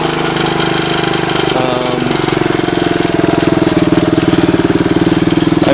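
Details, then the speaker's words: Suzuki DR200ES single-cylinder motorcycle, first run after acquiring, air filter refitted, temporary fuel line: steady, even idle thump with slight lope, no knocks or rattles; idles okay, normal idle. "i mean it seems to idle okay she seems to wind up those are all good things"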